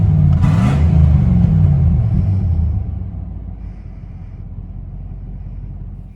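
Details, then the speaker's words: Cheap running V8 truck revs then settles into a loud, deep, rough rumble; owner notes a wicked exhaust leak. "more thing i forgot to mention you'll hear this the video coming up but it has a wicked exhaust leak so it fits right in with the rest of my junkers"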